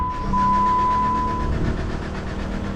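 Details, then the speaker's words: 2014 Jeep Compass, 23,290 miles, sat for months, crank no start on booster pack: starter spins engine at an even, smooth rhythm with no firing; RPM moves, so crank signal assumed present. "all right it sounds smooth and the RPM moves so I'm going to assume we have a crank signal"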